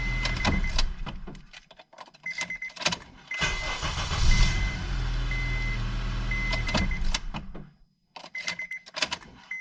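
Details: 2006 Honda Accord 2.4 four-cylinder, previously wouldn't start, final test after replacing the ignition switch (Honda 35130-SAA-J51): key clicks, short crank, engine catches promptly and runs steadily for a few seconds; clean start.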